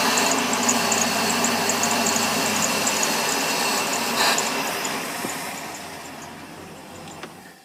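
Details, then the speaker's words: Boat sterndrive engine being winterized, fresh 25W40 oil change: fogging oil sprayed into the carburetor throat at idle, hiss of spray, then the engine stumbles with white exhaust smoke; normal end of fogging. "Okay, you can hear the engine start to stumble. We're seeing white smoke out the exhaust. So that takes care of fogging the engine."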